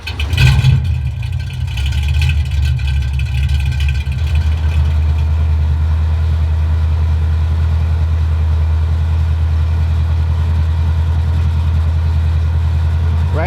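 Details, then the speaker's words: 1965-66 Ford Mustang V8, cold start, heard from inside the car while testing the stock and aftermarket oil pressure gauges on a dual-port sender: deep, even low rumble settling smoothly, no knocks or ticks; oil pressure very high when cold; normal cold idle. "So let's go. This is a cold start here, so we'll start with the stock one first."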